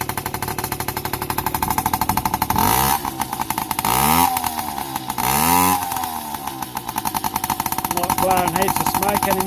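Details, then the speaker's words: Yamaha PW50 that sat five years, after reverting to a cleaned OEM carburetor and the original throttle cable, with the oil pump adjusted and a new spark plug. Even two-stroke idle, then two clean revs that drop back steady; normal idle. "so just go a start up and you have a listen starts way easier now got a nice idle"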